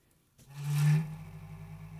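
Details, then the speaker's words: Computer power supply fan, desk-powered by shorting the green lead to black: a deep drone swells at power-up, peaks, then settles into a low old-fridge hum. The case vibrates the desk, and pressing the fan's plastic case worsens it. Fan bearings are very dry. "Thing sounds like an old refrigerator. So this is obviously a mechanical issue, so the bearings in the fan are dry. Very dry."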